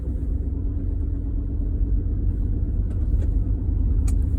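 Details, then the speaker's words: 1999 Ford Expedition, codes P0171, P0174 and P0401 (lean on both banks), leaking intake gaskets, rod knock: lumpy idle, shakes when idling; cause unconfirmed, suspects a big vacuum leak, the MAF sensor or a stuck-open EGR valve. Rough idle. "it could be masterful sensor could be intake um gaskets leaking which they were but this is this seems like a pretty big leak because it just shakes when it idles"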